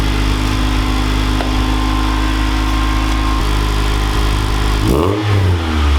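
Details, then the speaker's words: Honda Integra on its first start after a replacement twin-loop muffler was fitted in place of a leaking, patched one: a steady petrol idle, a quick rev, and no exhaust rattle. "And there you have it, a functional muffler once again."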